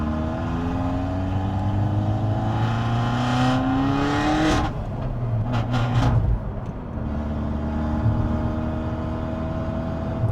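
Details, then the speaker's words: Peugeot 308 GTi driving after decat downpipe install: loud raspy exhaust drone rising and falling through gears, booming on throttle, with pops; far too loud, owner wants a resonator or exhaust to quiet it; no engine light. "It's so [ __ ] loud. Holy [ __ ] Nah. No. We need to get an exhaust. We need to get We need to quiet this down."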